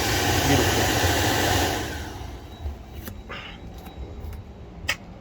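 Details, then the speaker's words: Jeep Gladiator cabin blower motor after leaves that fell in during a cabin filter change were vacuumed out: a smooth rush of air easing to a quiet hum, the earlier loud whine gone, so the blower runs normally. "see if we have the noise I didn't record the noise but there's other videos of it let's see come on bingo the noise is gone beautiful"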